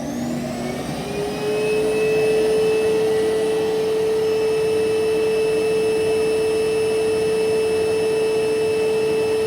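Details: Electrolux Quiet Clean central vac main unit heard downstairs beside it, running by itself: motor spins up in about a second, then clean even whine near 450 Hz, no rattle; healthy.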